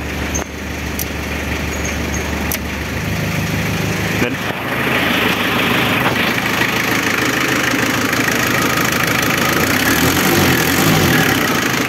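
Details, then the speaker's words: Renault Kangoo F8Q 1.9 diesel, converted from its original Lucas Delphi DPC pump to a mechanical Bosch VE pump. Engine warm with the fan on. Steady, even diesel idle with a slightly more metallic clatter attributed to the Bosch pump; running healthy. "el motor ya está caliente aprendió el ventilador y claro ahora puede ser de que el motor se escucha un poquito más Peque la bomba Lucas pero eso es por la bomba"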